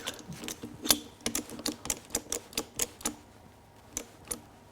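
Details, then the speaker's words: Mercedes OM606 diesel fuel injector on a modified mechanical pop tester bench: sharp, crisp chirps roughly three to four per second with gaps, each clean; injector popping at about 1825, working normally. "Okay, it's working. Look at that. It's firing right about 1825."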